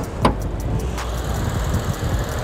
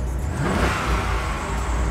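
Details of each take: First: Auction car inspected with bonnet open, which had a slight coolant overflow; low, smooth, even hum after a single clunk at start, no knocks or ticks; normal idle. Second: Auction-yard V8 car fires up and revs with a loud, uneven, lumpy low rumble that never settles; rough running, cause unconfirmed. Squeaky belts, a rattling pulley and occasional oily smoke from low in the engine bay were also noted.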